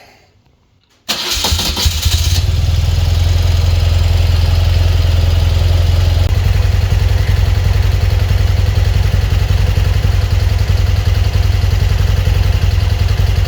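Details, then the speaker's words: BMW R100RS boxer twin after idle-adjustment attempts with a trapped throttle cable: it catches after a short crank into a deep, slightly lumpy idle because both carbs are out of sync, before balancing with vacuum gauges. "However, in doing so, I've completely put both carbs out of sync, out of balance."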